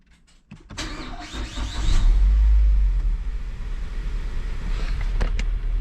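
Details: Crash-damaged Mazda CX-5 under rebuild, after reconnecting a cable that blocked starting: brief crank, engine catches and settles into steady low idle; normal start now that the electrical fault is fixed.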